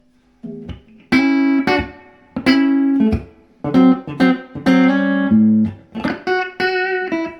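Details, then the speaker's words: Fender Princeton Chorus 2x10 solid-state guitar amp after repair of dry-jointed, loose main capacitors and no-signal fault, reverb on: clean, clear guitar notes ring and decay evenly, no hum, crackle or dropouts; normal amplifier output. "That sounds great, doesn't it? It just sounds, that does. Yeah, just for a cheap amp to play at home."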